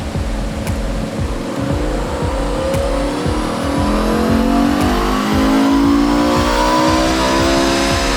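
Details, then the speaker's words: E61 BMW M5 Touring, 5.0-litre V10 converted from SMG to manual, full-load pull on a Dyno Dynamics dyno: clean wail climbing steadily in pitch, smooth, no rattles. Engine healthy at high rpm. "He's absolutely singing. That's very healthy. That's very happy with that."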